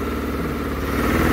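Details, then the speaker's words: Yamaha Phazer snowmobile, cold engine with low battery, after priming fuel via gauge diagnostic modes 36/37: fires right up and idles with steady even pulse, slightly rising revs, no misses or knocks; normal idle. "idles right away so there you have it that's a real quick easy free trick priming your engine when your battery's low and it doesn't want to start"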